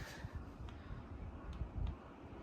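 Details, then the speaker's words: Dyson HP09 Hot+Cool Formaldehyde purifier, replacement unit at rising fan speed: soft steady airflow with no high motor whine, unlike the original unit, whose motor whine was loud even at low speed. "as it gets louder, we are hearing the wind, or the fan, but we're not hearing the motor like in the other one. So it's much more pleasant."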